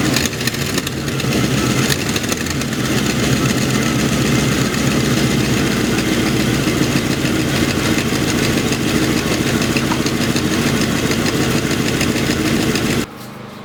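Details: Internally stock LT1 V8, about 70-80k, Hooker long-tube headers, pushrods straight: fast ticking puffs at idle keeping time with engine speed from the driver's side; suspected knock.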